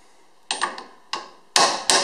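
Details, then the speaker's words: 2002 Ford Ranger XLT 4x4 rear axle bearing job: hammer tapping the new axle seal in straight, later strikes ringing fuller and more solid as the seal bottoms out flush. "you can hear it and it's flush let's go in a little bit more I think makes a different sound you come up against it"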